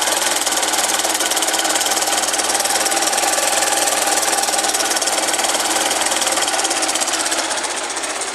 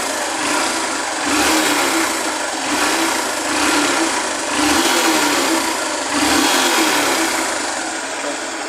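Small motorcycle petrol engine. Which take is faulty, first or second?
first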